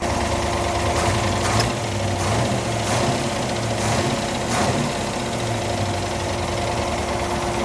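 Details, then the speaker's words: 1972 Plymouth Duster V8, warm (just under 200°F), 20–25 psi oil pressure on 10W-30, very late timing: rough, chattery idle with a heavy knock. Won't rev; suspected dead cylinder or bottom end, compression test planned. "it's definitely hurt like it's idling it's not rocking around crazy but it is kind of chattery but you can really hear that noise and it doesn't want to rev it's got a dead cylinder or something somewhere"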